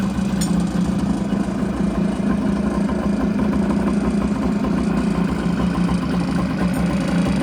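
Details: Kawasaki 550SX stand-up jet ski two-stroke, sat about 30 years, carb untouched, plugs retightened after leaking compression; steady buzzing idle with an even low drone and no stumbles, running cleanly.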